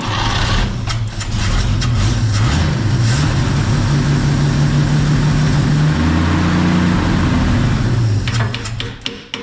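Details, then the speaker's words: 1951 Chevy pickup six, 6-volt points ignition, abandoned 40 years and fed from a fuel bottle; it catches and drones steadily for several seconds, then fades and dies. Fuel starvation; they suspect the bottle needs more venting or vapor lock. "It's like it'll take if it's getting some in the bowl, Yeah. it'll take it and then it stops."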